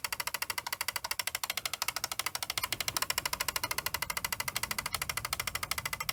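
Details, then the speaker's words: Fisher CR-W35T double cassette deck, belts already replaced by owner; fast sharp ticking about 2.5 per second over the motor as a gear in the transport catches and isn't driving, before the deck is taken apart. "It sounds pretty horrible, doesn't it? Just something's just catching."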